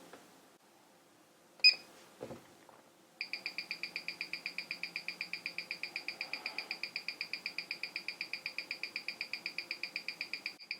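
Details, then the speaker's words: Aesop tourbillon watch on timegrapher, face-forward position: crisp evenly spaced high-beat ticks about eight per second, no limp, 0.0 ms beat error and about +1 second a day; running very well. "and here we're running even better holy smokes 0.0 and a plus one so this thing is cooking in a phase forward configuration"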